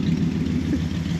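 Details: 1968 Dodge Dart running again after a no-start, traced to the battery power wire with a smoked fuse terminal, not the alarm system: steady low rumble, even unbroken beat, no knocks or misses; normal idle.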